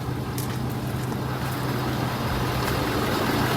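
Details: Ford 6.7 Powerstroke diesel after an oil and fuel filter service and fuel system bleed, idling during the leak check: steady, even clatter with no misses or odd knocks; healthy idle with no leaks.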